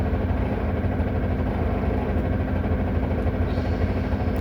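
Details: Solaris Urbino 18 articulated diesel bus idling on handbrake: loud, loose, uneven rattle over steady idle, unchanged; source unclear.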